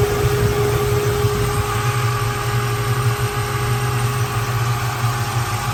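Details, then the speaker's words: 1967 Ford Mustang Fastback V8, heard from the rear: deep, even burble at steady idle, regular firing pulses with no ticks or misses; healthy normal idle. "I grab the keys we'll look in the trunk I'll tell you what that sounds nice back here"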